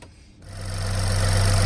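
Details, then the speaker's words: Chevy Equinox 2.4 that would not idle and died, after intake removal and reinstallation with the high-pressure fuel line reconnected: engine catches and settles into a steady, even idle with no stumble or miss; repaired, idling normally. "Voila! There we go, running smooth as a watch."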